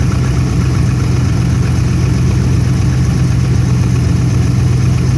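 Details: Cold 5.7 Hemi V8 truck at 20°F after sitting four days: idle with a quick light ticking knock, two or three a second, over a deep rumble; owner believes it is benign piston slap.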